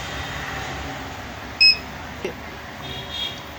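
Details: Luminous Hercules 1600 inverter running on battery only, with a new card already fitted and voltages checked fine: one sharp high-pitched beep over a quiet background. The warning alarm was traced to a bad rear connector.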